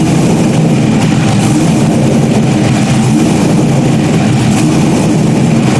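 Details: Stock-block 5.3 V8 race car just rebuilt after almost a year, idling after its first start: deep, steady rumble with an even beat and no knocks or ticks, healthy tone. Normal idle.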